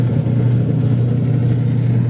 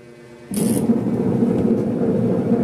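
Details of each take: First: Single-tub washing machine after gearbox replacement, pulsator agitating. Steady, even motor hum with no grinding or rattle, where before it was noisy and rough even when empty; now runs smoothly. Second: Single-tub washing machine running its wash timer forward and reverse; starts with a click into a loud, rough, uneven grinding rumble, pointing to a worn gearbox.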